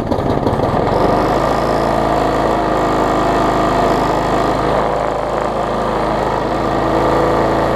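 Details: Bolens 21-inch mower, Briggs & Stratton 500 series, built April 2012, smoking: runs rough and uneven with a shaky, irregular beat under the drone; bent shaft and internal damage, engine judged too far gone.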